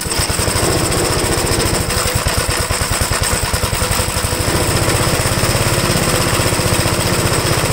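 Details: Restored 1969 Gravely single-cylinder tractor, no governor, started choked at about half throttle: fast steady popping, even firing without misses or knocks; normal running.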